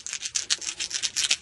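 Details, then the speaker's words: Vintage North American-sold, Japanese-made rim-drive reel tape recorder, original speaker pushed by hand: buzzy, scratchy crackling from debris in the gap between voice coil and magnet, possibly brought in by insects during storage; speaker was replaced. "that stuff in between the voice coil and magnet, the sound sounded really, really bad. Buzzy and scratchy and just terrible."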